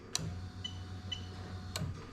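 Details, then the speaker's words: Lexus IS300 2JZ-GE VVT-i harness swapped into IS200 with J160 gearbox, fuel pump activated via diagnostic tool: two sharp relay clicks over the low steady hum of the running pump; relay and pump working fine. "i'm going to press that button to turn on the pump and you can hear the relay clicking"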